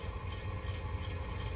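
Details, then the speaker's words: Philco stereophonic record player switched on with the tone arm lifted: motor spinning noise but platter not turning due to a slipping idler wheel, then a loud hum unaffected by volume; amplifier needs recapping. "you hear the spinning noise, but the platter's not spinning. And then in kicks the loud hum. So you got a couple problems here."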